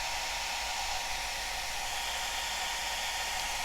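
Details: Cascade DS-925 hair dryer, after crimp repair of a no-heat fault, on low setting with temperature probe reading about 50–60°C: even steady rushing whoosh, no surging or rattles; fan and motor running normally, heat restored.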